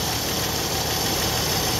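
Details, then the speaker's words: 1964 Chevrolet Impala inline six, after sitting since 1995, warming up before oil change: steady, even idle with a smooth beat, no valve sticking heard; carb rebuild probably needed anyway; normal idle. "it sounds good i don't even hear no valve sticking a little bit but she will come around probably will need a carb rebuild anyway pretty damn good sounds really good actually"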